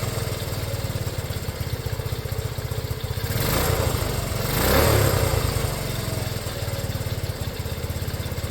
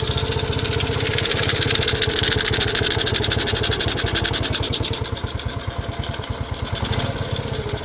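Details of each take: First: Restored Honda CT90, started with one kick, fuel mixture screw not yet adjusted: small single settles into a steady, quick putter after a brief throttle blip, running evenly and healthy at idle. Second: Restored Honda CT90 at idle, fuel mixture screw not yet adjusted: small single popping along steadily about three beats a second with an airy intake sucking hiss; mixture adjustment planned.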